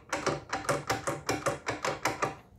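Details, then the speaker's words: Boom Vader Grom-clone motorcycle, stock gear shifter linkage (toe peg, long arm, pivot, short arms, cross member) riding down the road: sharp metallic clattering about four per second, no engine heard; excessive free play makes the loose linkage rattle. "That's the sound the shifter makes going down the road. It sounds like something's falling off the motorcycle."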